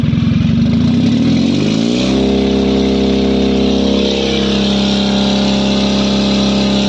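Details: Mahindra Maximo diesel with long cranking and low pickup complaint, codes P0193 and P0118 read and cleared, then started: revs up and drops back to a steady, even idle with no misfires or knocking; running normally.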